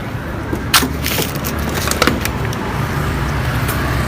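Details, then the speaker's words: Honda Beat FI scooter stumbling at low rpm: steady idle that smooths out when fuel is sprayed into the air filter intake, showing fuel starvation; weak, aged fuel pump (injector also possible), plugs, ignition and compression OK. "Jadi ketika kita sembur menggunakan bensin, kita bantu pakai bensin, motornya aman ya. Jadi berarti kekurangan bensin. Nah, salah satu penyebab kekurangan bensin bisa terjadi di bagian fuel pump yang lemah, kemudian bisa juga di bagian injektor."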